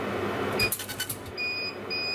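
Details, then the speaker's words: Laser dot-engraving test on wood: quick, sharp ticking pulses over a faint high whine sound crisp rather than soggy, so focus is about right. "sounded quite crisp let's try 12. listen again that was even crisper"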